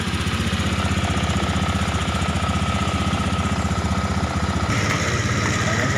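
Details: Beat Eco injected scooter with an owner complaint of high fuel use, running after the fuel pump filter is checked with pressure normal, steady even idle with a low pulse around four firings a second and no knocks; normal idle.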